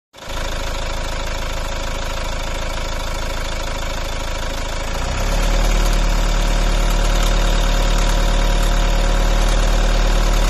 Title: volvo v50 strange engine noise. anyone had this noise?